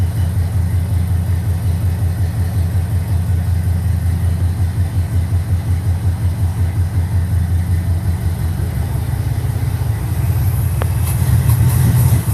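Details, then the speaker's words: 1969 Trans Am tribute V8 cold start after months sitting, fuel poured into garage-sale rebuilt Edelbrock carburetor, no gas tank, good oil pressure on manual gauge: deep loping rumble, steady pulses, picking up slightly at end; freshly fired engine running fine. "it does run so it lives I got a couple issues I got to take care of"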